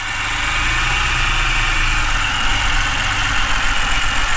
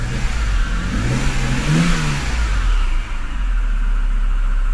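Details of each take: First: Flooded BMW E60 528xi first start after fitting spark plugs and coils from another BMW; uneven, lumpy idle with an irregular beat and a hissy top end; runs rough, oil burning off, cylinder 3 compression low. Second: Flooded Copart BMW E60 528xi, revved and released: engine returns smoothly to a steady idle without hunting, much better than before when it jumped around; no check engine light; a loud tensioner, pulley or water pump noise is still suspected. Normal rev and return to idle.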